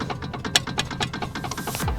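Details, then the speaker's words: BMW 3 Series rear control arm worked by hand: quick clattering rattle, about six to seven clicks a second, sounding like the bearings have completely gone, a sign of a worn arm due for replacement; the front arm is solid. "it sounds like the bearings have completely gone and it's just rattling like crazy"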